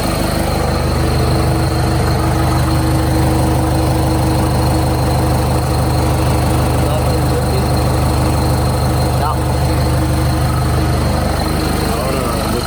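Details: Nissan D22 Navara ZD30 diesel, started after an oil drain plug was refitted: deep, steady diesel clatter at even idle, settling smoothly after first start, no misses, knocks or hunting.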